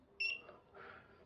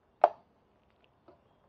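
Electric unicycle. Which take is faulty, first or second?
first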